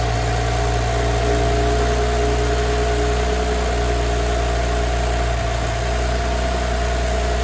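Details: Audi B9 S5 at 58,000 miles, first start after rocker arm upgrade, intake valve walnut blasting, water pump and thermostat replacement: steady, even idle with smooth low hum, no knocks or ticks; normal idle.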